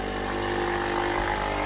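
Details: Philips EP 2200 (EP 2000/3000 series) coffee machine after drive fault, reinitialized by removing the drive limit switch and cycling up and down: small motor whirs steady and even without stalling or clicking; brew unit drive turning normally.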